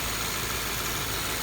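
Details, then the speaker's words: 2015 Subaru Impreza 2.0 Limited, under-hood phone recording at idle: steady idle with light, quick ticking over hissy background, exaggerated by the phone mic; normal injector tick, normal idle. "my phone does pick up small engine noises so you will hear uh more ticking than you would in person"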